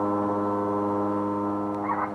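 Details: Refrigerator making a loud noise that comes and goes: steady low hum with fixed tone that swells and eases without changing pitch; worn fan motor bushing.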